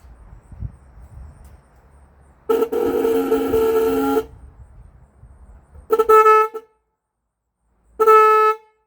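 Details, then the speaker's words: 1965 Ford Thunderbird during rebuild, horn test: one long then two short blasts all same pitch, no second note; both horns sound the same, which the owner thinks should differ; one may need tuning. "Yeah. They're both the same tone. They should be different tones, shouldn't they?"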